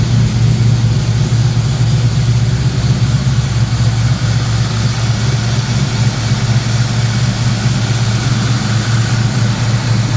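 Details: 1969 Mustang with a new 410cui fuel-injected V8, just started: a deep, steady burble at about two pulses per second with no misses or knocks. It idles cleanly.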